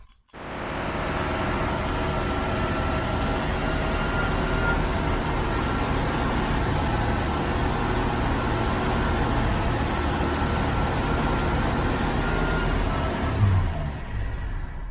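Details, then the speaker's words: 1969 Chevy van six-cylinder, off the road 35 years, primed by pouring fuel in; starts and runs fairly evenly about fifteen seconds then dies, not drawing gas from the can; owner suspects bad fuel pump: engine stalls, fuel not delivered. "it's not sucking no gas from the can guys I guess that fuel pump shot"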